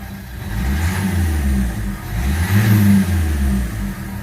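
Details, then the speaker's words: 2010 Renault Megane 1.5 diesel, just started after an oil change to Kroon Emperol 5W-40 with no warning lights: idles, revs up smoothly twice and drops cleanly with no knocks; runs evenly, as it should. "працює рівно в принципі так як і повинен працювати"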